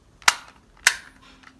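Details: Lego 7860 12V remote controlled signal, early-style buttons, remote dated week 23 of 1982: three crisp, sharp clicks roughly two-thirds of a second apart, each a clean snap with no scratch; normal button action.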